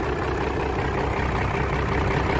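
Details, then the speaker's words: 1997 Dodge Ram second-gen Cummins diesel with NV4500 5-speed, abandoned for years, first start: steady, even low rumble at idle with no misses, knocks or surging and no big smoke; sounds healthy. "But that sounded all right."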